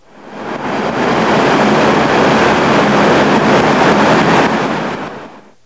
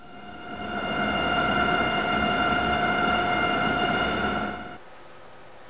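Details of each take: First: the sound generated in this situation usually exhibits strong aerodynamic pulsations accompanied by housing and duct vibrations it sounds like this Second: Axial fan in a test chamber running at 1000 rpm: steady, even hum with a clear whistling blade tone holding level; running smoothly, nothing abnormal.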